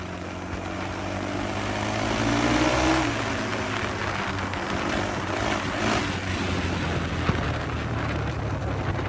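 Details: 2003 Honda 400EX single-cylinder quad back running after sitting since 2021 with a faulty ignition switch, riding off: engine pulls smoothly through the revs, steady with no misses or knocks; normal running.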